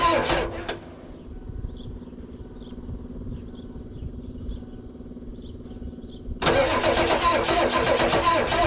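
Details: 1994 Ford crew cab, newly acquired project, sprayed with starting fluid: steady starter churn for several seconds before a brief louder catch. Hard start; tried popping a few times, owner suspects a weakening battery and unknown fuel supply, may prefill the fuel filter.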